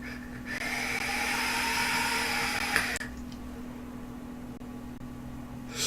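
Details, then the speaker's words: Digiflavor Themis atomizer: loud steady high whistle over each inhale that stops when the draw ends; reviewer attributes it to the airflow design, noisy. "il va quand même un défaut c'est comme vous l'entendez sûrement dans la vidéo siffler bourg si beaucoup beaucoup et je vous refermez la flo pierre c'est donc ouais ça c'est pas forcément mettre à son crédit il est bruyant"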